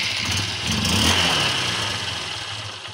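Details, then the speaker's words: Honda Unicorn 150 motorcycle after carburetor main-jet repair and idle-screw adjustment; even, steady idle with a smooth buzzy exhaust beat and no stumbling; the engine now holds idle. "गाडी आता आयडलिंगवर थांबलेली आहे"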